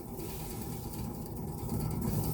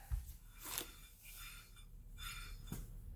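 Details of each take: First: 2012 Fiat 500 1.4L SOHC non-turbo automatic, driver's-side rear wheel spun by hand on a lift: steady low gritty rumble with faint ratchety texture; hub bearing rough and has play, worse than the other side, being replaced. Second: 2012 Fiat 500 1.4 SOHC automatic, new rear hub bearing spun by hand: quiet bearing with a soft once-per-turn brake scrape, possibly fluttering pad or warped rotor.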